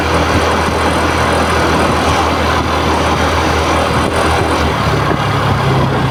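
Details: TVS Jupiter 113 scooter idling with a steady, slightly rough drone and some background hum; abnormal engine noise, cause not identified.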